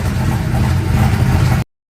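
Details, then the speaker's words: GMC with freshly assembled turbocharged 6.0-liter LS, trunnion upgrade and Hellcat pump, first start: throaty V8 idling firm and even with steady low pulses and no ticking or clatter; normal running. "She runs. Listen to that beautiful 6-liter LS."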